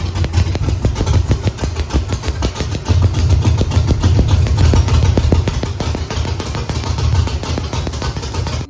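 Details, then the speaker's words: Camaro with Holley EFI 5.3 LS V8 at idle: heavy, lumpy exhaust pulses with missing beats; running on about four of eight cylinders; spark tester shows even cylinders 2-4-6-8 have spark, coils not bad, one bank seems dead. "this morning I'm going to wreak some havoc in the neighborhood with my 4cylinder Camaro uh it's supposed to be run on eight but it's not"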